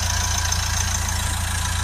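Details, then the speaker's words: Nissan Qashqai 1.5 dCi (Renault engine) after cleaning a severely blocked DPF, back pressure now about 5–6 on the gauge, near new: a steady, even diesel idle with no misses or knocks, a normal idle. "that is a it's a very good result there considering how locked that DPF was"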